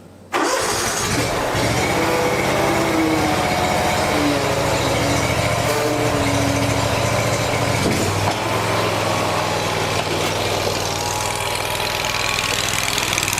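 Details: Lawn tractor with long-running fuel problem (float bowl not kept full) after fitting an electric fuel pump, which other pumps failed to fix: catches quickly and runs a steady, even note without stumbling or dying; normal running.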